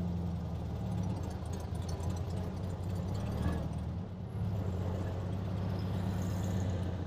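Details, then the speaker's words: 1967 VW Beetle after swapping the intake manifold, carburetor and distributor (old 009 had no vacuum advance) and adjusting valves, idled warm: steady even beat, no stumble. Normal running. "Well, it seems to be running good. Let's take it for a drive."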